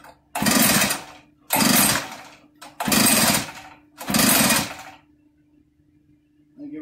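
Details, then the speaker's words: Echo PB8010 backpack blower that suddenly stopped running, with spark, fuel and apparently good compression: four rough recoil pulls on choke with no firing; removing the exhaust later revealed stuck piston rings. "take the choke off of it sounds like a mechanical clank doesn't"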